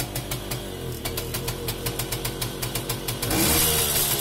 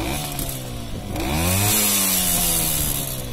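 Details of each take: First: Romet 2375 (Komar) two-stroke, non-original replacement carb with adjusting screw at 1.5 turns out: even pops about four beats a second, then picks up cleanly on throttle blips; response sounds crisp. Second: Romet 2375 (Komar) two-stroke, non-original carb, possibly different cylinder: at 1.5 turns the air screw leaves it a bit sluggish, revs climb lazily and flat on pickup; best response found at just under 0.5 turn. Owner unsure why, suspects carb, cylinder or an air leak.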